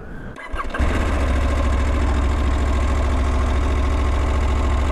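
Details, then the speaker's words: Husqvarna Norden 901 twin, cold start warming up: cranks, catches within a second, settles into a steady deep idle with metallic chatter, worse when cold; owner expects it to ease as the engine breaks in. "one of the comments that people have made is that the motor sounds like crap and frankly it does uh at idle this motorcycle sounds like it's metal unmetal it just is not a reassuring sound it's worse when it's cold"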